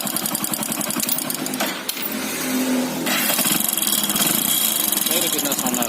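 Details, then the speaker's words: Motorcycle engine running with a loose piston in a worn block: a fast, sharp, loud, steady metallic tapping of piston slap; the fix is to replace the piston and block. "ये जो नॉइज आ रहा है, आवाज़ आ रहा है, पिस्टन का आवाज़ आ रहा है। अब पिस्टन ब्लॉक में ढीली हो गई है, इसलिए वो आवाज़ कर रही है।"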